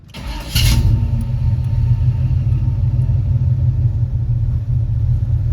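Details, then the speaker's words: 1974 Chevy pickup, short bed 4x4, numbers-matching factory 454 big block V8 with new fuel pump, alternator, wires, plugs and HEI distributor, warm but not hot; brief crank, catches at once into deep even rumble, good idle. "So fired right up. As you can see, it runs good. Idle's good."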